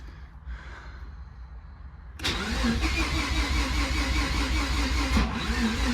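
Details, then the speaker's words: Mazda RX7 after long storage, air box off, replacement part from this car refitted: starter whirs briefly, engine catches with rough uneven putter and stalls; possibly flooded, owner suspects weak used fuel pump, unconfirmed. "still doing it okay so I can't really figure out what's wrong with it right this second um and I'm pretty sure I flooded it trying uh so I think it might need a fuel pump it sounds kind of weak and whatnot"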